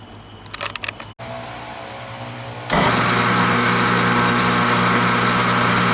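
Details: Craftsman 113 table saw after swapping the stock 3/4–1 HP 120V motor for a 3 HP 220V motor, first start: a few clicks, then a steady, loud, even hum and whine, much louder than the old motor, no wobble or grinding; normal run.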